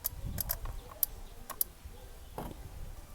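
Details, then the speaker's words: Renault Clio Alizé 1.4 crank-no-start with Siemens 32 ECU, temporary fix by grounding the green wire: a few sharp isolated clicks over a quiet background as the relay snaps in and the ECU powers up. "then what all you need to do is to ground the green wire you'll hear that click and it turns on"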